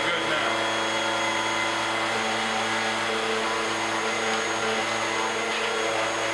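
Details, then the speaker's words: Bissell upright pet vacuum after full cleaning and rinsed foam filter, reassembled; steady even motor whine with constant airflow rush, no surging or rattles, running healthy. "Everything's back in place. Let's turn it on. Make a little noise."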